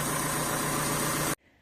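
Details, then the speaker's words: 2017 VW Transporter T6 at idle with engine light and exhaust fumes in cabin: steady idle with a sharp hiss, also heard while driving, from exhaust gases blowing out near the EGR valve at the back of the engine, soot around it. "Okay, so if you listen, you can hear a hissing coming from it, which you can also hear when you're driving."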